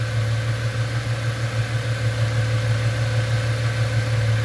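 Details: 1998 Ford Mustang, first start after about ten years sitting, warming toward normal temperature: low, steady rumble with an even beat of about three pulses a second, no stumble or ticking; smooth, quiet healthy idle.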